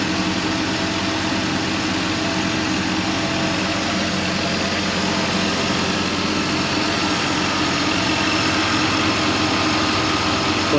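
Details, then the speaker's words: 2003 Chevy Suburban (GMT800) after replacing an AC clutch whose shorted coil kept blowing the AC fuse; the original compressor was kept. Engine idles with the compressor engaged, giving a steady, smooth hum with no squeal, rattle or grind; the compressor is quiet and healthy. "You hear the compressor? I don't hear it. It's a good compressor. Maybe slightly, but it definitely is not noisy."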